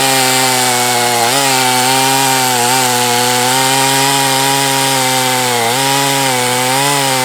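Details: Husqvarna 254 chainsaw, once trashed and rebuilt, not broken in, open-port cylinder, muffler mod, decked cylinder, at wide-open throttle cutting: steady high tone dipping briefly under load; owner suspects slightly lean on top, not confirmed.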